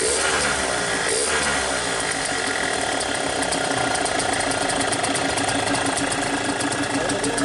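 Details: Yamaha RX King two-stroke, stock 135, after repair (magneto rotor re-pressed, clutch plates and springs replaced): crisp idle with a fast, even ticking beat and steady pitch. Normal idle.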